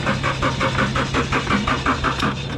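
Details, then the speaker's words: 2013 Scion FR-S, 96,000 miles, key missing its immobilizer chip, in neutral: even cranking at about six compression pulses a second, never fires; crank-no-start, compression thought good. "I don't think it will turn on because the key is actually missing the chip, but I don't know, it might crank."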